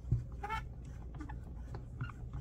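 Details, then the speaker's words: Polk Striker Pro wired headset: a brief thin squeak when the ear cup swivel is rotated. The owner thinks a drop of lubricant would likely quiet it. "sometimes they squeak a little bit when you rotate them I'm sure a drop of WD-40 or any kind of lubricant would probably quiet that right down"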